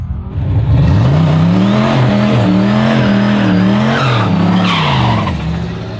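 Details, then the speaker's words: Manual HQ drag car launching at the Hardass 1000, rear shocks stiffened to stop bouncing, aiming to reach third gear: revs climb, sag and waver under tyre squeal before pulling again; bogs on launch, more launch RPM suggested, run 12.17 personal best. "still bogg maybe more RPM but that was that just shows you there's more in it though"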